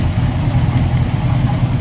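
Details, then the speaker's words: Mercury boat engine, 7.4, idling at the dock after 2 minutes, still a little cold; scanner shows no codes, no knock, good fuel flow: low even smooth rumble with no ticking or knocking; healthy. "fuel flow is good at idle engine run time 2 minutes a little cold still 7.4 all right that gives you good feel for what the engine's doing"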